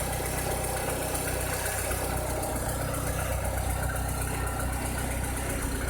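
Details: 2006–2007 VW SpaceFox engine at idle with a strange noise: an odd, uneven pulsing chatter of about three per second over the low drone; cause not obvious.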